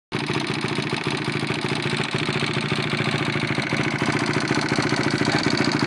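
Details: First start after rebuild: starts straight away and holds a fairly steady, busy idle with no knock or clatter; sounds like a healthy running engine.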